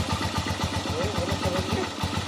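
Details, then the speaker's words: Haojue 125 motorcycle after engine overhaul with transmission and crushed needle bearing replaced, new bearings needing break-in: steady, even putter with no knocks or ticks; idles smoothly, sounds healthy. "Kaya mga bro, umandar na po yan, oh."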